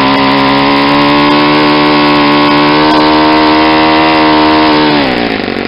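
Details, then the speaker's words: Saito 50 four-stroke on its first run after a new ring and bearings, turning an APC 11x7 prop on 10% fuel: the needle is leaned out to a high, steady buzz near peak rpm with less smoke, then it sags; probably leaned too far for break-in. "see how much the exhaust most decrease how the sound of the engine picked up an RPM I was getting near the peak warm now I probably shouldn't have leaned it out so much on that first run"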